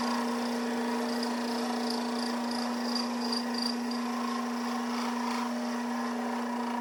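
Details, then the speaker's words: Vintage Craftsman 109 lathe cutting a 1" UNC decorative nut: steady low buzzing with a faint squeal, tool chatter that left striations on the work. "I don't know if you can hear the chatter cuz I turned the volume way down, but it was some good chatter. Not terrible, but hey."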